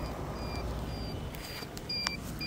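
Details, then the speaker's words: Fardriver 72850 controller wired to a QS205 hub motor that has a hall sensor error, phase wires not yet connected: a few short high beeps as it powers on and the display lights. This is a normal power-on chirp. "you hear that? It turns on. But there's no phase."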